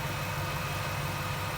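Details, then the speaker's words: 1998 Jeep Wrangler TJ with swapped-in 5.3 LM7 V8 from a 2003 Tahoe, idling after on-and-off running and all issues sorted; steady, even low rumble with no knocks, ticks or misses. Healthy normal idle. "I am prepared I've eliminated all the issues that I have and I'm prepared I'm driving it to work tomorrow so see how that goes but here it is running"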